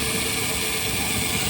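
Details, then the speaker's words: Mitsubishi minivan AC compressor running over engine idle, client reports noise and weak cooling, low side 22, high side 100: harsh whirring rattle and steady mid-pitched drone from the compressor; noisy compressor to be replaced with a brand-new unit. "Ayun, maingay mga bossing, kaya nagpalit siya ng magpapalit siya ng compressor."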